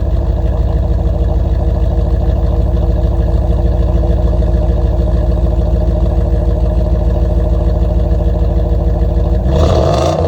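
Deep, even V8 burble with a steady lumpy beat, then a clean rev near the end; runs smoothly, exhaust sounds healthy.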